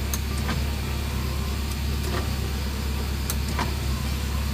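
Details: 2002 Suzuki Baleno: an even, low idle hum stays steady while the power window runs, with no dip or labouring, so the engine handles the electrical load fine.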